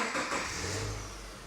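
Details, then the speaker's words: 2009 Subaru Forester after head gasket replacement, starting on first programmed key: engine fires instantly and settles smoothly, no stumble; normal start. "Fires right up. And then here is our new key. Fires right up, just like that, piece of cake."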